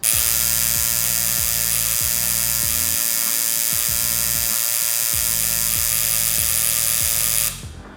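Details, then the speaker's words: Coil tattoo machine running on an Aurora 2 digital power supply, a cheap clone of the Critical Atom X. A high, raspy buzz surges strong and weak about four times a second instead of holding one steady buzz, due to power fluctuation from the supply. "It's not supposed to be like that. It's supposed to just be one steady buzz."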